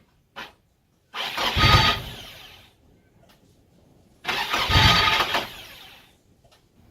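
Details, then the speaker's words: Nissan Silvia S13 after a new starter motor was fitted: two brief cranking bursts with silence between, the starter catching only intermittently and never firing; owner suspects the ignition barrel. Intermittent cranking. "sounds like I'm going to plan the ignition barrel is playing up some reason"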